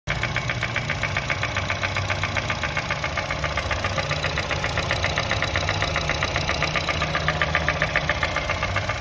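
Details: 2010 Honda City i-VTEC petrol idling with a steady, sharp knock, close to four a second; tappet adjustment didn't help, and teardown found piston no. 2 scuffed from oil starvation with loose rings and lost compression; fixed with new rings and block polish.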